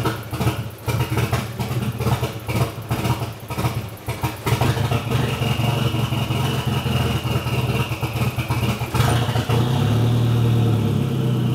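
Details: Nissan CA18DET started half-warm, about 2 hours after last drive, with an open downpipe: loud, uneven misfiring idle that stumbles as if to stall, then steadies when revved. Plugs are gapped correctly and no ECU codes; it idles at 800 rpm warm but still misses.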